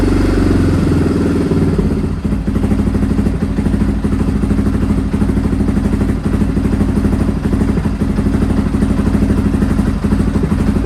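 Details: Restored Honda XR650R single at idle on its first start in years, in a cold workshop after heating the inlet manifold; valves adjusted, carb rebuilt. Even thump with a crisp exhaust beat, no knocks or rattles: healthy.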